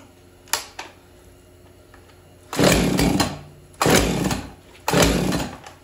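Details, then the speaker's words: Husqvarna 445 two-stroke chainsaw unused for over 10 years: three rough pull-cord bursts that never catch, a hard start; choke suspected of not fully engaging. "guys I have the cover back off um couldn't get it going kind of pulled on it for a bit there"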